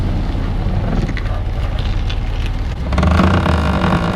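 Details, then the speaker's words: Alfa Romeo Giulia Quadrifoglio, lowered, custom alignment and modified spacers, on Michelin Pilot Alpin winter tires: reversing slowly at full steering lock in a parking lot, a rough scraping tire rub joins the low engine hum; the owner first suspected the splash guards. "with the michelin pilot alpine winter tires i get this annoying rub whenever i move the car to go park the car get out of a parking lot or whatever it drives me absolutely crazy"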